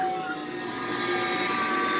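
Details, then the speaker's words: 2007 Chevy Trailblazer idling with a steady high whine that stays the same when the steering is turned but rises with throttle; power steering pump already replaced, whine traced to a worn idler pulley bearing. "you can hear this whine that is the noise it's making and i've determined it to be the idler pulley bearing"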